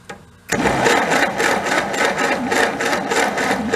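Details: 1930 Plymouth rumble seat coupe, a six-volt barn find that sat about 30–40 years: steady, even starter cranking at about four turns a second that never fires. No spark at the plugs despite a brief earlier spark; wiring connections suspected.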